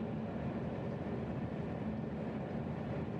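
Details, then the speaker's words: Carrier furnace, about 15 years old, after a DIY replacement of the logic control board and 12V transformer; it had failed to start in fall. Cover closed, furnace kicks on with an even, steady rushing hum, no clicks or rattles. Running normally. "And there you go. You can probably hear that it just kicked on."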